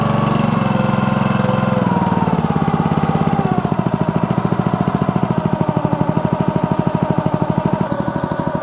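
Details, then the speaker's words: Honda GX200 small air-cooled engine test-started after an oil change to Amsoil 100% synthetic SAE 10W-30 small-engine oil, choke on, throttle about halfway: steady, even putter with evenly spaced firing pulses, no knocks or misses; runs normally. "to that little Honda engine just purr."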